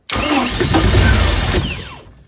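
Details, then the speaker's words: 1995 Mercruiser 3.0LX unused two years, with new plugs, fuel filter, water separator, starter and battery, rebuilt carb, throttle forward: it catches and runs rough about two seconds, then dies when the key is released; owner assumes spark present. "you know start when i release the key you can hear it that just shuts off but it sounds like we're getting spark at the pistons"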